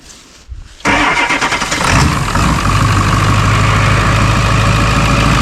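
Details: Ford 7.3L diesel pickup, mistakenly fueled with gasoline and driven 30 miles, now drained and refilled with about 10 gallons of diesel: short crank, catches and settles into even diesel clatter; normal start.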